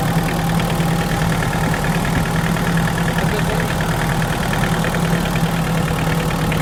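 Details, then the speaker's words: Hyundai Porter diesel at idle: faint, regular metallic tapping over the rumble, hard knock heard from below the engine; persists even after engine replacement, cause unknown. "такой жесткий прям стол. И на холостых его тоже слышно. Но не здесь, а внизу."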